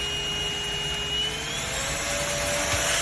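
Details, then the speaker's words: SMOTURE 600W 50KPA cordless stick vacuum, new, switched on and then pressed to its higher power level. A high, steady motor whine climbs smoothly to a higher pitch and holds clean; the boost mode works normally. "It's got two ways to power up. So I turn it on here, and if I want it to be more powerful, I press the button again."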